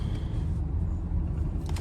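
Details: 2009 Toyota Camry LE four-cylinder, 167,000 miles, on a test drive: road and engine rumble, then one short, clean horn toot with a strong, clear tone; horn works properly.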